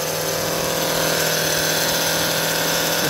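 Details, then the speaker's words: 2005 Honda Odyssey, hot after being driven, at idle, fluid level fine and no leak: loud, steady moaning whine from a failing power steering pump, worse when steering left or right; fixed by replacing the pump. "the power steering pump right here this one and when you turn left or right it is steering it gets worse usually like that it's pretty bad"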